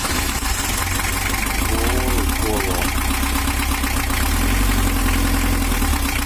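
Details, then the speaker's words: 1982 Toyota Hiace LH11 diesel, overheating with rough running, after setting camshaft to valve top timing: idles with even steady clatter, no hunting; smooth but further adjustment still needed. "jalur suaranya Udah halus tapi ada yang kurang kita cari lagi"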